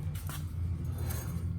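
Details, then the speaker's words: 2004 Chevrolet Suburban LS 1500, front wheel hub removed and turned by hand: low rough grinding rumble with no smooth roll; worn, loose front wheel bearing near failure, being replaced along with brake pads. "You can hear that grind. That's not good. And it's pretty loose. So this is imminent for failure at some point."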